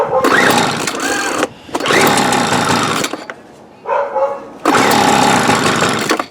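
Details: 1997 Weed Eater BV1800 (Featherlite) 24cc two-stroke blower, primed and choked, running on a carburetor assembled from three junk carbs: high buzzy revs in short bursts that drop away between blips, running somewhat unevenly.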